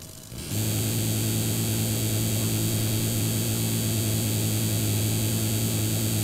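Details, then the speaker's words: PC speakers fed through an amplifier with the volume and sensitivity raised and no audio playing, while the computer runs a task: a loud steady buzz with low hum and high hiss. The owner suspects interference from the computer's hardware audio path. "Questo è proprio il suono del computer che esce dalle casse adesso mi faccio sentire anche il computer mentre fa un un determinato lavoro"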